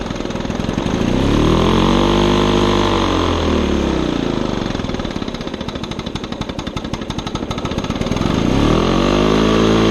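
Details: Old Lawn-Boy two-stroke mower on mixed gas with the air filter missing: a rattly note that swells and sags over several seconds without settling; running rough and hunting, cause not confirmed.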